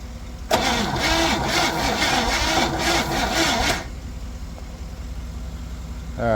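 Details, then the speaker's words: 1961 Chevy Impala four-door, sat 20 years, jump-started from another truck while no spark was found yet: starter spins the engine briskly and evenly, nearly three compression pulses a second, no drag; normal cranking. "all right let's see what we got with some more power see how fast we get this thing to spin over yep"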